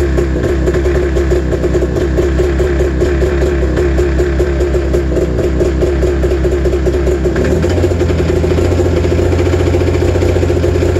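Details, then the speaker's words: Snowmobile cold-started at 28°F early on an October morning. Two-stroke pops unevenly and lumpy, then the note drops and changes, sounding like it fires on one cylinder. Owner suspects the gas; rough running. "so sounds like it's running on one cylinder oh you can hear it a little bit it's starting to lighten up"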